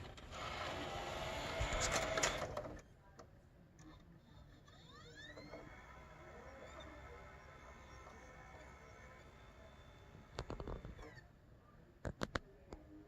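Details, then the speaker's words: PS4 Pro that made strange noises and would not read discs, after replacing the laser lens deck (KEM-496AAA), game disc inserted: a few clicks, then a quiet whine rises smoothly to a steady pitch as the disc spins up; disc reads, fixed. "okay looks like it fixed it you could hear the discs spin up"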